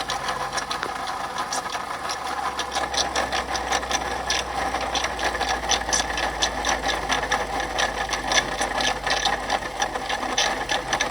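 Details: 2014 Ford F150 EcoBoost 4x4 running: fast, dry ticking rattle near the pulley end; water pump bearings shot, pump starting to leak, pulley visibly wobbling; worn water pump bearing, to be replaced.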